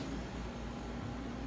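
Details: Silver King 5-foot prep cooler after capillary tube replacement, about half an hour into pulldown with pressures good: steady even hum, constant low tone, no knocks or rattles; compressor running smoothly until it cuts out at 2.8 °C.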